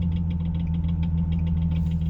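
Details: Nissan 370Z with STILLEN supercharger: deep idle hum with uneven rapid knocking, seemingly from the engine. It is intermittent, rises with rpm then stops around 3k rpm, and is louder than usual in rain. Cause unknown.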